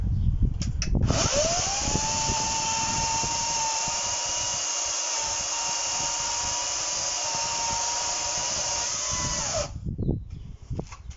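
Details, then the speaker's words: HYCHIKA 36V 8000RPM brushless cordless chainsaw with a 14-inch bar, in performance (boost) mode cutting solid wood: the motor spins up to a steady high whine, holds pitch evenly through the cut, then winds down cleanly. Healthy saw under load. "As you see, it cut through it nice and easy. Do another cut. As you can see, it's a solid bit of wood, but it managed to cut through that fine."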